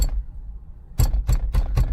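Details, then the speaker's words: 1985 Mercedes 300D diesel at rough idle (owner suspects exhaust bind, motor mounts, injection pump timing): sharp metallic rattle about four times a second from the steering wheel, also heard when turning; owner suspects a part came loose inside the steering column. "metallic rattle you would also hear it when you would turn and you'd hear it spin around so I knew something had come out of the steering column"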